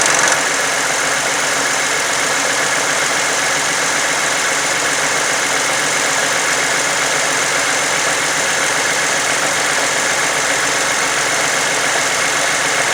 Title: Funny engine noise 2009 toyota sienna